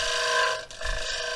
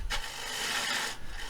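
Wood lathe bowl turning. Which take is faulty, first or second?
first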